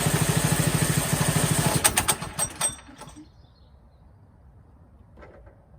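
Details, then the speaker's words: Mega Moto Max 212 mini-bike before the tune-up, clutch replacement and idle/throttle adjustment: uneven, lumpy chugging at about three pulses a second that sags and dies within seconds. It runs rough and stalls, and it also died whenever throttled up. "you'll see just how rough it idles or runs in fact when I had this started earlier anytime you throttled it up it would actually die out"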